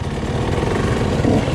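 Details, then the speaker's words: Husqvarna TC 85 two-stroke with turbine core silencer, main jet changed from 145 to 140: uneven wet blubbery gurgle at low revs instead of crisp idle; running rich, wet black plug, leaner jet made it worse. "I changed my main jet to a 140 and trying to see if there's a difference here it still needs some work"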